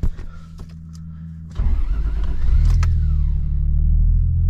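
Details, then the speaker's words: Toyota Mark II with 1JZ engine and new custom exhaust; starter cranks briefly, engine catches and settles into a steady, low, subdued idle, quiet with that exhaust; running smoothly. "She's pretty quiet now with that exhaust."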